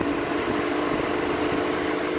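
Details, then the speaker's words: 2010 Vauxhall/Opel Astra J 1.6, single two-speed radiator fan run at speed 2 through the diagnostic actuator test after a complaint it doesn't kick in: a steady, even whoosh and hum with no rubbing, ticking or wobble, so it works fine. "that's speed - okay so this is basically this is basically a fan with two speeds and on the actuator they both worked absolutely fine"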